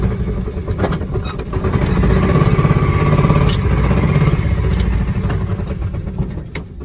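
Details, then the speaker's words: Kawasaki Mule 2510 with old gas and a carb needing cleaning, running choked, in high range: a low lumpy beat that surges and sags as the throttle is feathered and never idles evenly; cause suspected, not confirmed. "It runs awful. It will not idle, so you have to keep feathering the throttle."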